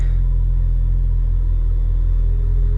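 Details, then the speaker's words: 2003 Mini Cooper S R53 just started with a jump pack after fuel pump and fuel filter replacement; deep, even rumble at constant speed, no stumble or miss. Smooth, healthy idle; previously had a misfire. "right there we go car started and he running"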